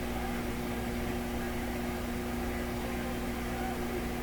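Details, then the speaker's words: Combination AM/FM tube radio prototype, warmed up, tuning across the FM band: even rushing hiss with faint steady tones underneath; normal FM between-station noise, so the FM section works. "yep oh that sounds like an FM radio"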